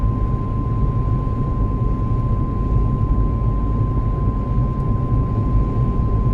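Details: Car at about 70 km/h: loud constant high whine of steady pitch over deep road rumble; dealer could not hear it, cause not yet found.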